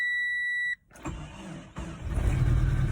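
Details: High-mileage Chery Amulet petrol engine: dash chime, cranks, catches, then idles with a harsh diesel-like knocking clatter; owner tested a compression additive, then suspects engine ruined.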